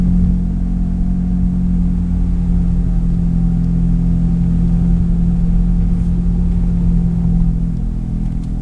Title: Bad wheel bearing noise?